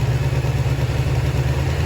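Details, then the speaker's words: Kawasaki ZX400D motorcycle, first run after long storage with fresh oil, filter, battery and fuel; even steady low idle with no knocks or misses, runs smoothly. "well it's a runner and that's a start yeah hey that's pretty good"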